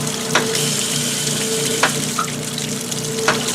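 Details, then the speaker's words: Whirlpool Direct Drive washer filling for warm rinse after a hot-enable timer modification: a steady hiss of water with a faint valve hum. Switching off the hot side leaves only cold water. The inlet valve fills normally. "you'll notice if I turn that off we lose the pot and just get cold"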